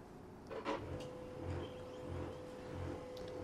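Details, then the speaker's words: Canon 2900 laser printer starting up with cartridge removed (no load): low rhythmic "gru gru" grinding over faint hum persists; worn middle drive sprocket/gear, usually replaced. "of the printer starting up Gru gru gru is still there, very annoying."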